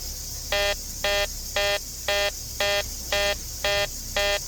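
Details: Short electronic beeps repeating evenly about twice a second in a quiet room during a home inspection; some unidentified device alerting, cause suspected but not confirmed.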